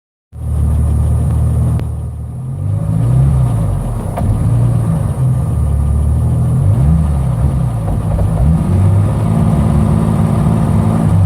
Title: BMW 745i turbo e23 M106 Big Hesitation problem, misfire